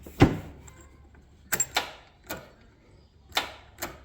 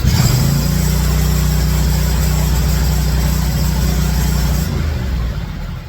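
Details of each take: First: Hustler Raptor 52-inch zero-turn mower with a battery only weeks old: a single sharp click at each key turn and no cranking, from a failing starter solenoid. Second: Zero-turn riding mower that clicked but wouldn't start, after a simple repair: engine catches right away and holds a steady, even low drone for several seconds before shutoff; runs healthy.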